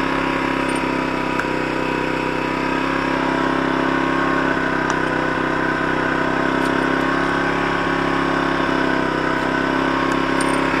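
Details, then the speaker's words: Zontes Tiger 125cc motorcycle bought as a non-runner, started on reserve fuel after restoring spark: even, steady single-cylinder idle with no misses or knocks; kill switch won't stop it, suspected wiring fault. "no kill switch so there's obviously something messed up with the wiring somewhere but it's running so i just need to further investigate what that wiring messes and why it won't turn off laters"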